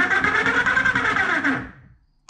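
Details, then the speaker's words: Teamgee H5 electric skateboard left hub motor, noisy for a month, bearing shot and further damaged by a failed DIY replacement: coarse rattly grinding as the wheel spins under power, then quiet coast-down; worn hub motor bearing. "about a month ago i noticed that the my left wheel started making some noise so i took it apart and i saw that the bearing was shot in it"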